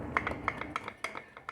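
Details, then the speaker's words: 2020 Lander motorcycle, parked and shaken by hand: irregular hollow plastic clacks and rattles from the rear top case (baú), whose mounting has worn with age and lets it knock; noise is worse when riding. "aqui não é nada mas quando tá andando é uma chatura Então se a gente não quer andar com com barulho infelizmente né a gente vai ter que andar sem baú"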